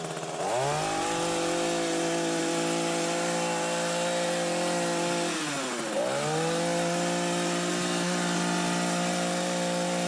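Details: Hedge trimmer after repacking the nearly empty gearbox with grease to cure metal-on-metal grinding: steady high engine drone with one brief throttle dip and recovery, no metallic grinding; gearbox sounds healthy.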